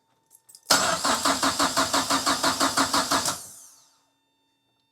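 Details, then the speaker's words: 1930s Ford Model Y with a turbo Mazda MX-5 engine, standalone ECU and recently rebuilt top end with uprated cams; ECU powers up but no fuel pump buzz. Starter spins about three compressions a second, never fires, winds down. "Can hear it powering up, doing everything. I can't be right. I must be lost. I can't hear the fuel pump buzzing up."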